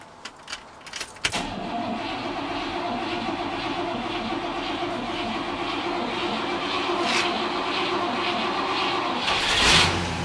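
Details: 1962 Cadillac cold start on a battery tender, choke possibly engaging: a few clicks, then it catches within about a second and settles into an even, steady fast idle; a normal, clean cold start.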